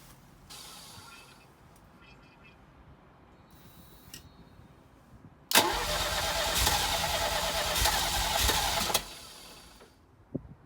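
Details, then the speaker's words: 1983 Ferrari 308 QV V8 during fuel system work, with the fuel metering unit plate stuck down: after faint clicks the engine spins over steadily for about three seconds but never catches; cranks, no start. "I'm just going to see what happens when I try and start the car. You can see the metering unit plate is down at the moment, it's stuck. Let's see what happens when I turn the car over."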